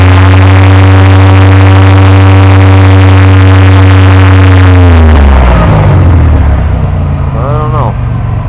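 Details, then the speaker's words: 1998 Oldsmobile 88 with a cylinder 3 misfire code, despite new plugs, wires and coil packs: the engine is held at steady high revs with a firm drone, then the pitch falls away and it skips. The cylinder misfire source has not been found yet. "I'm trying to figure out where that skipping is coming from I got my check engine L design and it's showing as a cylinder 3 this fire which is right here"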